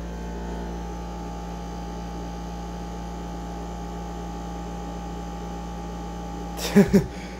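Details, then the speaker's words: Dehumidifier, not an AC unit, with a quiet fan and very loud pump: steady loud fixed-pitch drone rumbling the floor, a couple of knocks near the end; cause suspected, not confirmed. "Instead, it's really loud. And it's rumbling the whole floor. Right here, I can feel it really well."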